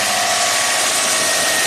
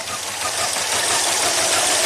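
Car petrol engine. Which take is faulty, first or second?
second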